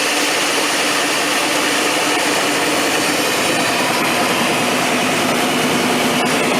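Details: 3/4-ton 4WD square-body GM Suburban V8, long off the road, started after jiggling the ICM wire: steady, even engine hum without stumbling or misfire; running cleanly, not yet warmed up.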